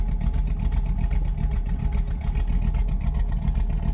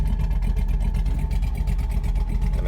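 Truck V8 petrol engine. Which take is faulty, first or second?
first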